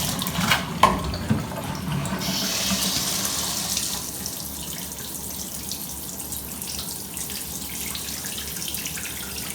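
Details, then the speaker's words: Tub spout diverter after replacing the spout: water running with diverter engaged, steady rush of normal flow, no whistling, squealing or screaming as before. "and as you can see or hear there is no whistling or Screaming sounds"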